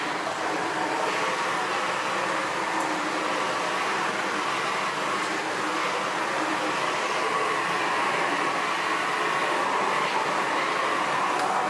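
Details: Sebo Felix Classic vacuum cleaner from 2005, running on hard floor with the front head piece (brushes?) missing: constant loud rushing roar over the motor hum, no pitch change, air escaping out the front.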